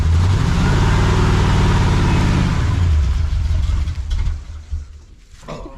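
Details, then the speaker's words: 1979 Chevy C10, manual, after 5 years sitting, fires right up but needs more rpm: revs rough and uneven then sags and dies away; hesitation attributed to accelerator pump not working optimally. "It's all right. The accelerator pump is not working optimal."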